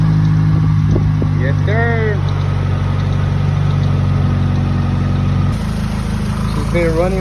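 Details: Freshly rebuilt Honda B18C1 GSR engine swapped into an Acura Integra LS, just after first start: low, steady idle hum, even, no knocking, ticking or stumbling; ran two hours without overheating, normal idle.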